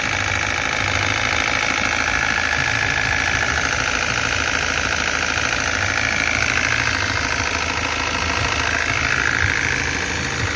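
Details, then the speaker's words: 2014 Iveco Daily 35S14 diesel, 347,000 km: steady idle with a regular knock about three times a second from low at the engine front, persisting after lifter noise faded; owner suspects timing chain tensioner or chain kit wear. "o primeiro barulho sumiu que é o de carregamento de tucho mas ele continua com esse segundo barulho na parte de baixo"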